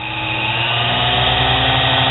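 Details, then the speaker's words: Lathe motor turned down from full to half speed and below, with a low whine and a heavy, slightly uneven drive note as it labors at low speed; belt replaced with a Gates belt after burned brushes were found on the motor. "that's about half speed that's full speed there's not a whole lot of difference when you LIF to it there's about where I'd probably run it if you go down here things kind of"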